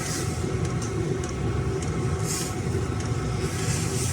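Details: Chinese diesel heater after mainboard replacement (had been warming then shutting down with pump switching off): steady low combustion roar with faint evenly spaced fuel pump ticks, running normally while warming up.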